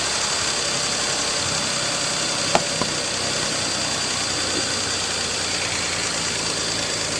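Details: 2018 Nissan Pathfinder SL idling after a kerosene flush, oil and filter change and Seafoam added: even, steady idle hum with only a couple of light clicks and no knocks or misses; healthy after the service.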